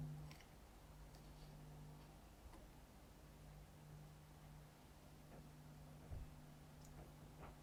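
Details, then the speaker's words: Jamo D7 subwoofer XLR input install: faint steady low hum under room noise after the input transformer is fully enclosed in a shielding enclosure; enclosure significantly reduces mains hum. "as you can hear this enclosure significantly reduces mains hum and probably this would be enough in my case"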